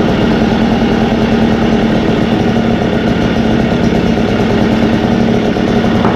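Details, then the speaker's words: Echo blower two-stroke engine after Zama carb replacement and low idle, high and throttle adjustment, at operating temperature: steady, even buzz at constant speed with no surging or stumbling; clean normal running. "oh all right and that is it that pretty much got up to operating temperature it's pretty hot low idle adjustment height adjustment throttle adjustment that's it"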